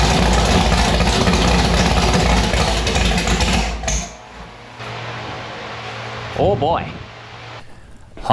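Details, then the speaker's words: Race V8 on E85 after fitting an 1150cfm Pro Systems carburetor, first firing: loud, lumpy, hard-edged running for about four seconds before shutting off; it runs and sounds violent. "right, guys, there you have it. Annabelle started, it fired. It sounds pretty violent."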